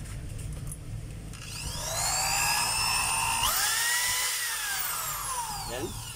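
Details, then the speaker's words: DeWalt DWD014 3/8 drill after replacing the chuck, run forward then reverse: motor whine climbs smoothly, holds even and winds down with no grinding or rattle; the drill works fine. "Gumagana na po yung chuck niya mga kabay. Yan. Forward. Ayan. Reverse. Ayan. So okay na siya mga kabay."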